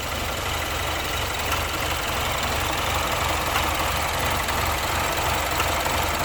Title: BMW 2015 Misfire Detection Diagnosing